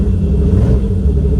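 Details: Turbo E46 BMW ZHP, true cold start after two days of rain, cowl filter tray missing: deep lumpy cold idle with uneven stumble; cylinder missing from water in ignition, ice found under cowl; later runs well.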